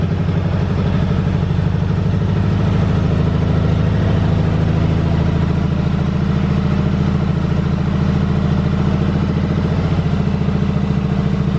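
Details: 1985 Yamaha Virago 750 V-twin after riding: steady, fast, even thumping idle held well above normal speed, with no clear popping; owner suspects a lean mixture or leftover Sea Foam in the fuel, unconfirmed.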